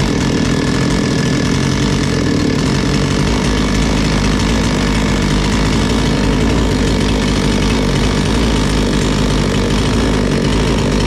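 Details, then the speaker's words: Bolat 5820 petrol chainsaw that kept stalling, running steady and even with one quick throttle change after its dust-clogged air filter was cleaned; engine back to normal. "stop düğme çalışmıyor şu gördüğünüz gibi sadece hafifliği çıkarttık motor normale döndü"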